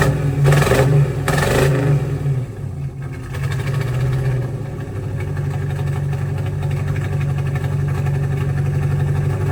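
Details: 1985 Oldsmobile Cutlass with swapped budget 283 small-block Chevy V8, Holley 600 carb, new exhaust: uneven loping idle about four pulses a second, sounds like it's missing and hesitates to pick up; timing had been late, causing backfiring.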